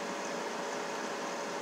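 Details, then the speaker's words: Blower motor wired directly to 12 V starting battery, bypassing plug, after new blower motor resistor didn't fix it: smooth steady whir, faint hum, no ticking or grinding; motor runs fine, fault lies elsewhere. "you can hear it running it's running beautiful"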